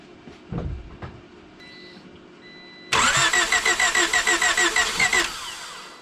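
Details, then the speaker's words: Car just restarted after timing belt work, run briefly with no coolant: engine catches, then a loud shrill squeal with fast chirping rides over the idle, no knocking or ticking; belt squeal, probably a loose belt and low fluid after teardown. "did you guys hear that there was no knocking there was no crazy ticking just a crazy old loud squealing belt like a mofo and it's probably loose and low on fluid"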